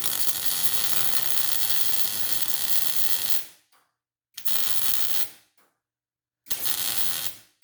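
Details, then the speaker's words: Welding on an F-body Camaro suspension upgrade: three harsh hissing MIG arc bursts with sharp cutoffs, uneven sputter rather than steady bacon-like crackle; settings suspect; irregular arc. "high school welding teacher said it should sound like you're frying bacon that does not sound like you're frying bacon"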